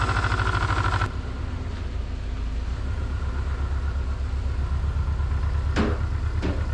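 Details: Subaru Legacy engine idling with a rough, rhythmic low knock about twice a second; the knocking was bad enough to hear inside the car while driving.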